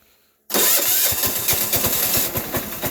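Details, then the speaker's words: Sears Suburban 6 hp diesel in winter, starter still frosty despite block heater and propane-torch preheating: steady starter churn with even compression pulses about six or seven a second, not yet catching; cold cranking, slow to start. "sounds like it's going but it's not"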